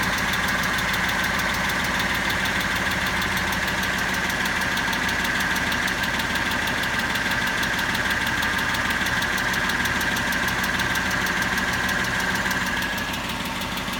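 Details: Engine at a steady idle with a sharp, fast ticking about three or four times a second; cause unknown.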